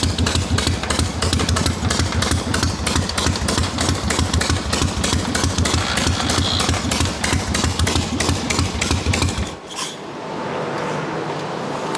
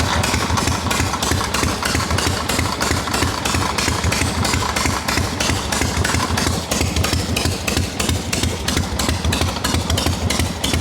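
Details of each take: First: Harley XLCH chopper twin running hot on the bench: uneven lope with a rough metallic clatter, about three a second; grinding suspected at the ring gear to kicker teeth engagement, began after fitting the kicker spring, possibly missing kicker gear washers. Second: Harley XLCH chopper, fully hot, after a too-tight part was loosened to cure a kicker-gear dragging noise: even, loping V-twin idle at about three pulses a second with no stray knocks, showing normal idle.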